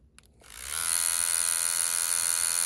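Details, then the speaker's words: Hummingbird 2 rotary tattoo machine test run at 7 volts, said to also work at 6.5. Clicks, then a smooth, steady high buzz settling at constant pitch with no rattle; normal running. "On va faire un petit essai. Je suis à 7 volts. Je vous dis même 6,5, ça marche."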